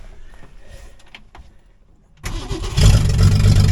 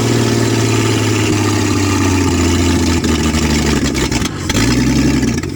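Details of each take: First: 1966 Mustang after starter installed and replacement battery fitted, first attempt at cranking: after a quiet pause the starter engages and spins the engine evenly and briskly, about four turns a second; normal strong cranking. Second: 1966 Ford Mustang, newly acquired and reassembled, first start: loud rough running, revs sagging and surging, dropping out several times, a fireball backfire; owner unsure fuel reaches the filter, seemed to run on the carb for a bit; stumbling first start with backfire.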